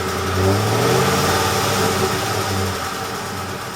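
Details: Ford F150 5.4L 3V Triton V8 revving with a light, uneven ticking; a mechanic replaced two or three coil packs and a couple of spark plugs, curing the ticking misfire and restoring power.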